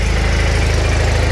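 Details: Twin-cylinder mower after spring service and an oil change, once the second cylinder (whose spark plug had been disturbed) starts firing. Low, steady thumping idle with evenly spaced pulses and no skips, idling smoothly while oil circulates.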